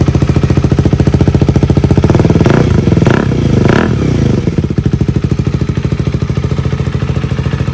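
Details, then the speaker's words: 2023 KTM 390 Adventure single-cylinder with newly installed inexpensive aftermarket exhaust, decibel killer still in: even idle thump with a brief rev blip, crisp note, not too loud or quiet; healthy engine. "Got a nice sound. It's not too loud, it's not too quiet."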